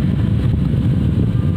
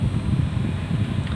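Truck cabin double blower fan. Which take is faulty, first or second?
second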